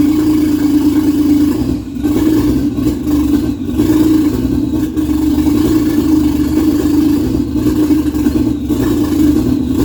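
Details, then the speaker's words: Nova with swapped Toyota 1JZ engine, first start: steady mid hum on held throttle that dips and stumbles, won't hold idle unless floored; newly replaced TPS not yet set up, engine running very rich, cause unconfirmed. "so it won't hold the idle without being floored and I move the TPS just a little bit because it I had replaced that and I haven't really completely set it up yet but I might try moving it again see if it gets any better"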